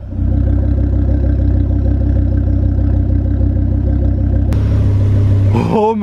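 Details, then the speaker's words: Stolen-and-recovered car, freshly serviced, warmed up, microphone at the rear: steady deep lumpy idle, then a sharp rev blip climbing and falling back cleanly. Normal, healthy revving. "my goodness, that sounds amazing. I cannot wait to get this thing on the road."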